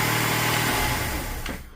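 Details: Engine's first start after a VVT camshaft phaser timing repair, with oil pressure drained from the long job. It idles smooth and even with no rattle or tapping before winding down: normal idle.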